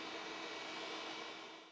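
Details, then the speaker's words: Data General microNOVA computer running: steady airy whoosh with faint constant hum, no ticking or rubbing as it spins down; fans not hitting, running clean. "Turn it on one more time. Make sure the fans aren't hitting. Nope, it's perfect."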